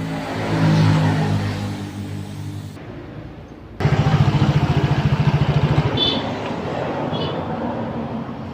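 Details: Soul GT 125 scooter after repair of a crackling noise felt when riding slowly at 40 km/h: quiet, then the engine catches and settles into a steady, even beat with no scraping or knocking. Running clean now.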